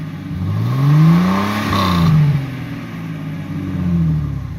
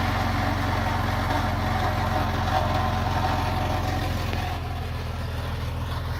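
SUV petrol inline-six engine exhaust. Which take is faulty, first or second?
second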